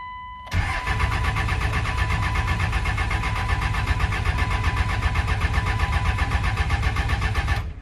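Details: 1999 Cummins 24-valve diesel, sitting 2+ years, first start attempt: long steady starter grind at roughly four turns a second, never firing; lift pump runs but little diesel reaches the injector lines, air in the fuel system.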